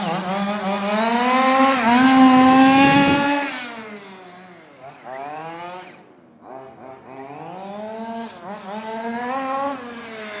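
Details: Fifth-scale RC two-stroke engine after break-in and carb tuning, previously running lean and drying out: high buzzy scream climbing and dropping cleanly with throttle, no bogging or sputter, now crisp and faster.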